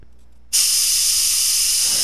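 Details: Metcal desoldering gun with STDC-804 tip removing a 16-pin DIP with plated through-hole flat leads. Quiet room, then a sudden steady hiss as the vacuum kicks in and holds evenly; normal desoldering suction.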